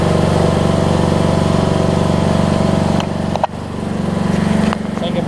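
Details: Craftsman DLT3000 riding mower with Briggs single-cylinder engine, after camshaft and compression release replacement: steady, even drone with constant beat, no stumbling or knocking, dipping briefly as it pulls away; running properly, no leaks or smoke.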